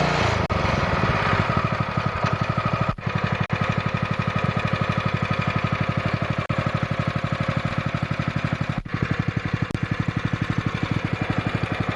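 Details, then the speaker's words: Honda GX160 5.5 hp engine from a pressure washer, run outdoors with the jammed Comet LWD-K 3020 pump removed: crisp, even single-cylinder beat about four per second, no misses or knocks; engine runs really well. "well that's awesome that motor runs really really good"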